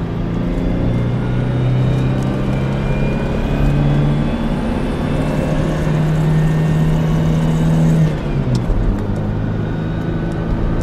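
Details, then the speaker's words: 2001 GMC Sonoma 2.2L with freshly replaced engine, driving hoodless and taken up through the RPM: clean pull with smooth rising drone, clean shift near eight seconds, no knocks or rattles; clutch and shifting feel great, normal acceleration. "doing great shifting great driving great see is flipping great could not be happier"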